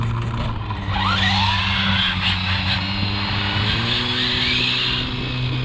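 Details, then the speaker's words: Arrma Limitless RC car on 4S at about 75 mph, MMX8s ESC: steady high motor whine over tire and wind noise, no rattle or grind; the earlier nasty noise, blamed on the center dog bones, is gone. "I don't hear that noise. I was getting that before. I don't hear it now. It was nasty. It had to be the center dog bones. She sounds smooth as far as I can hear, y'all."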